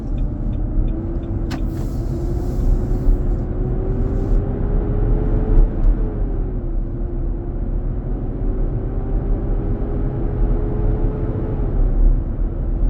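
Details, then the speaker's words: 2023 Nissan Armada, 4k+ miles, 95F inside: gone at 45 mph, returns after stopping at a turn and pulling away. Loud steady roar over road rumble with a faint tone drifting with speed. Fan clutch roar. "We'll stop at the turn signal and start. I can hear the sound coming back up."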